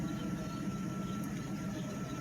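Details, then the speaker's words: 1997 Mercedes S600 V12 just after first start with replacement ECUs and original drive authorization module: smooth even low hum at steady idle, no misses; runs smoother than with the bench-shown ECUs. "Actually, it runs nicer with these computers versus the ones that I had shown you on the bench there, because this thing runs smoother."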